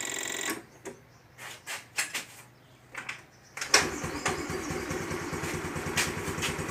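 After some handling noises the engine catches and settles into an even, quick putter; small scooter idling normally.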